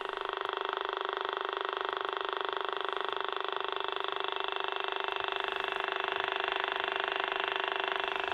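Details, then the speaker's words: Vintage receiver clipped onto a scanner aerial: steady buzzy croaking pulses, about three and a half a second, ride over a constant hiss, interference on the reception. "picking up a lot of interference as she as per usual"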